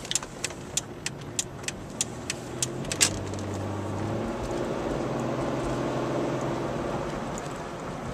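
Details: 1998 Malibu after replacing two wheel bearings: a few light ticks, then steady, even road noise as the car rolls, with no growl or hum rising with speed; the new wheel bearings sound healthy.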